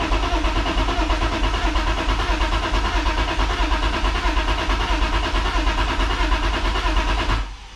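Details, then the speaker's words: BMW E36 sedan cranks steadily for seven seconds with the clutch in but never starts; the fuel pump is audible. Owner suspects fuel; also suspects no spark from the ECU or its connection. "sounds the same let me try to put the clutch in still sounds the same honestly"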